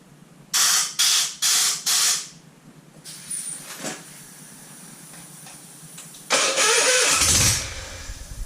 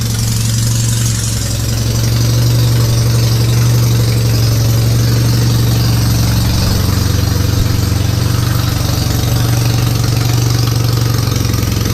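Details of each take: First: Citroën 2CV engine with carburettor stood empty 20 years, throttle open with airline: four short cranking bursts and a blast of air, never catches; ignition confirmed fine, carburettor not working. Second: Citroën 2CV flat-twin after the static timing was set and a reversed ignition coil connection was corrected, carburettor stood empty for 20 years: steady, even idle with a smooth low thrum and no misfires, spitting or bangs; it now runs.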